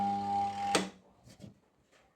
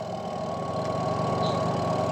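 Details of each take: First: Washing machine spin motor powered, drawing 1.3 A: steady electrical hum with no spin-up, then a click and silence; motor stalled because the spin brake is stuck on. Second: Washing machine that only hummed without spinning, spin motor run on mains with the brake pulled released: steady even hum as it turns freely; releasing the brake lever makes it brake and hum again.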